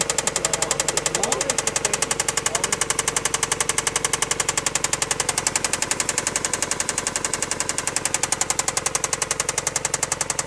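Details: NB Mazda Miata petrol engine idling with a sharp, steady knock about four times a second; owner unsure if it is rod knock, piston slap or a bent rod.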